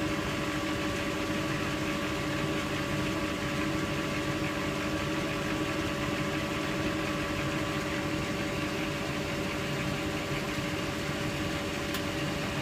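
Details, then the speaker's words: Bendix Autowasher Electronic 800 7148 washing machine, Cotton 90 plus prewash, 800 rpm, towels load: steady even motor hum at full speed with clear singing tones and rushing air, no knocks or scraping; washer motor running smoothly. "then Motors are full chat so distinctive in their sound it's not so much about um induction mod it just sounds like lushing air yeah it actually sounds a a proper singing motor"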